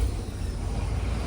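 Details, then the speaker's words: 1973 Cadillac Eldorado with rebuilt original 500ci V8, no oil leaks or exhaust smoke, cranks right up and idles with a deep, even, smooth rumble, no knocks or misses; normal idle. "It's good and smooth. Sounds good."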